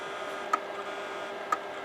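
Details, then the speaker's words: Imation LS-120 SuperDisk drive that can't read a floppy: sharp ticks about once a second over faint hiss, constant head recalibration like a SuperDisk click of death; owner suspects damaged or extremely dirty heads. "This would be equivalent to the iOmega click of death, except in SuperDisk terms. Yeah, the drive heads must be damaged in this one, or they're extremely dirty."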